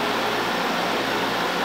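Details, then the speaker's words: LG LHD659BL curbside dehumidifier, compressor and fan running (fan only in low mode, not high): steady even hum with constant buzz, no knocking or rattling, vibration felt; compressor mechanically sound, normal. "so the compressor is running and the fan is right so that's normal you know you'll hear it you feel it vibrating so we know there's no issue"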